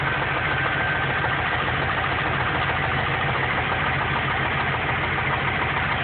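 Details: Engine knocking at idle about three times a second, dull and regular; noticed about 4 months after an oil change, oil level found low. Owner suspects lifters/heads, mechanic says rod knock; source unconfirmed.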